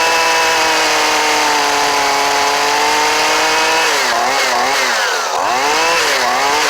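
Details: Old Husqvarna 128LD trimmer with a new Hipa carburetor, choke off: it holds a clean, steady high buzz and picks up and drops back crisply on throttle blips; it is running properly.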